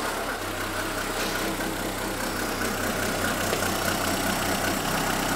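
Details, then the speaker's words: Renault Twingo D7F petrol engine at idle, just after clearing catalyst and lambda sensor fault codes, hood open: uneven, lumpy pulse that stumbles periodically; owner suspects an ignition problem on one cylinder, before replacing plugs, leads and coil; rough idle. "Bon, ça tourne, hein. Pas terrible, mais ça tourne, quoi. Là, a priori, il y a un problème d'allumage sur le cylindre, là."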